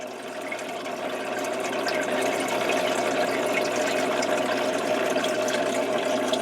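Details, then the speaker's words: Worn, rattly old Tetra Whisper 20 hang-on-back filter on a 20-gallon red clawed crab tank: water splashing plus a buzzing rattle from the impeller knocking in its housing. Being replaced with a Whisper 40. "in addition to the noise you can hear from the splashing you can hear some noise rattling from the impeller in there"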